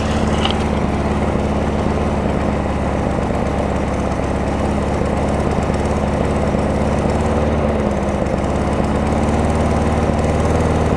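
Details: Craftsman self-propelled mower with a Tecumseh engine, just started after a carburetor and air filter housing swap: steady chugging at constant speed with an even rough putter and no misses or surging; running normally.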